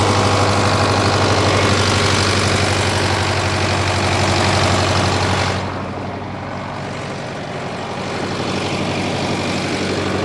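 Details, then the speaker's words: 1968 John Deere 500A diesel tractor (industrial 3020), revived after 10+ years parked, put under improvised load: deep, even diesel beat dips slightly in pitch as load comes on and recovers without stumbling. Normal running under load. "this thing's running like a champ today I think I'm going to put a little bit of weight behind it and we'll uh see if I can get it under a load"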